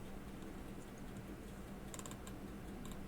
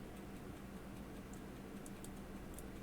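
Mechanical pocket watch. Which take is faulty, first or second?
second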